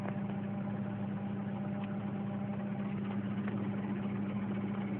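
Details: 1996 Mazda Protege running off a jump starter: idle hum with an uneven, loping beat and occasional stumbles, not holding a smooth idle. It sounds worse at other times; cause unclear.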